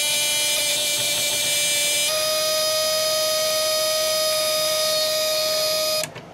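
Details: ELENCO Snap Circuits project 344 half wave rectifier (II), LED lit, about 6-7 mA: steady piercing buzz at one pitch for about six seconds, then stops, from the relay oscillating; normal.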